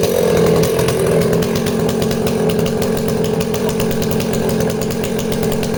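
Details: Danarm 36 "hot rod" chainsaw with stainless steel exhaust, cutting wood: steady high-pitched scream with no stumbles; intermittent off-load misfire disappears once loaded, pulls cleanly under load.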